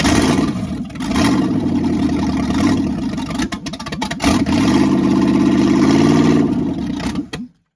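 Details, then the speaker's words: Freshly rebuilt small block V8 on run stand, open headers, first starts: catches, revs and settles twice with rough but even beat, no knocking heard — sounds like a fine rebuild. ">> sounds like he did a fine job. I didn't hear nothing knocking."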